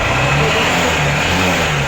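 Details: Hero Honda CBZ motorcycle engine revving up and down with a rough, noisy mechanical note over the exhaust; piston ring problem suspected.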